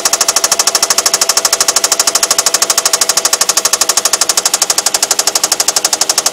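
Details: Infiniti VQ35DE V6 at idle: hard, sharp metallic knock many times a second, perfectly steady, from a spun rod bearing (crankshaft bearing shell turned).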